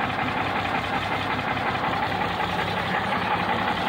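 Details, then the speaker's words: 1965 Mack B61 dump truck diesel idling in neutral after first start, brakes being uncaged, air building; slow, even clatter with steady beat, no misses or knocks; sounds real good, a few air leaks suspected; normal healthy diesel idle. "With all that in neutral, that's starting to feel a little better since it's running. But hey, sounds sounds real good. I couldn't be more tickled."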